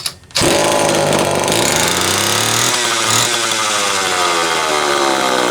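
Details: Homelite XL-12 chainsaw whose idle changed when tilted and bogged off idle: a high-rev scream whose pitch keeps wandering instead of holding, suspected to be leaking crank seals. A leaking fuel cap duckbill was also found.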